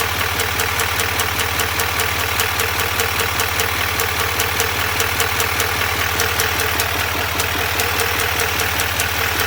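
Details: 2021 Duramax L5P diesel idling with a steady, sharp ticking over the clatter, about two to three ticks a second.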